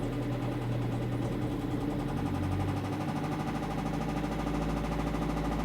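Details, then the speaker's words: 2009 Opel Corsa 1.3 diesel at slightly raised revs: dull, rapid knock deep in the bottom end; mechanic weighs camshafts/valve gear, a broken hydraulic lifter or crankshaft, suspected worn crankshaft bearing shells. "и так здесь два варианта ребята или под клапанной крышки где распредвалы и там клочки все туда сюда или ребята гидрокомпенсатор может сломаться или все-таки и внизу на коленвалу проблема может быть"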